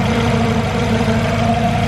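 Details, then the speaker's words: Turbocharged Honda CR-V idling: constant low hum riding over the engine, pitch unchanging; owner unsure, wonders if it is the timing belt, which looks a little tight. "I'm sure some I don't know if you guys can hear that humming."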